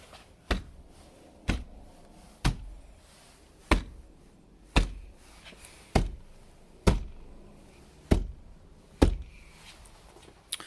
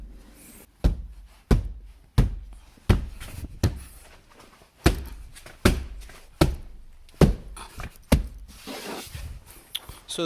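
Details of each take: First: 2014 Jeep Grand Cherokee WK2 diesel with about 50,000 miles: sharp hollow thumps about once a second, each trailing into a brief loose buzz. This is the typical driver-door panel rattle, heard before sound-deadening the doors. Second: 2014 Jeep Grand Cherokee WK2 diesel, about 50,000 miles, front door after sound deadening (Noico, 5 mm closed-cell foam decoupler, Tesa tape): deep dull thuds knocking on the panel, then a firm shut; solid, well damped, no rattle.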